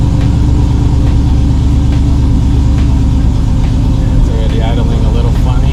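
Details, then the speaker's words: 5.3L Chevy Silverado with a Granatelli 103mm throttle body, spacer, ported 6.2L intake and retune, after a throttle body relearn, truck sat a while: deep V8 idle held high at 1,200 rpm with a slight lope and unsteady beat instead of settling. "My truck's been off for a while, so I know it's going to idle a little higher. Right now, it's idling at 1,200."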